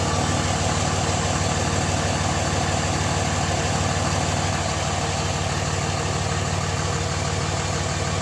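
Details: Pickup truck diesel started cold, run only about 20 miles that day: steady, even idle clatter with smooth low rumble, no knocks or misses. Normal cold idle.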